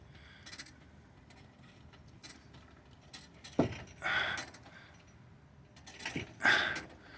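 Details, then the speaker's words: Mazda 5 with a replacement front subframe being jacked and lowered: sharp metallic pop then creaking clunks. The mount bushings are not OEM spec, too short for the bolts to remove slack, so they move maybe as much as a millimeter. "Okay. So you hear the popping, right? So let me jack it up. Watch that. Watch that bushing area."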